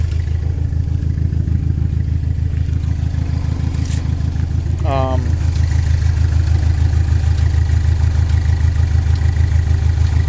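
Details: Saturn Sky, low idle pulsing about three times a second with an uneven lumpy beat right after replacing the cooling-fan controller module for overheating; sounds like running on 3 cylinders, cause unknown.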